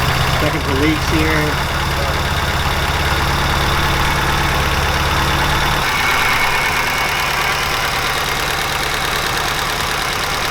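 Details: 2005 Subaru Impreza STi, 800+hp build with 64/66 Precision turbo, FIC injectors, flex fuel, BC cams, first startup, cold: loud, loping idle with an irregular pulse about three times a second that drops off partway; rough on an unfinished tune.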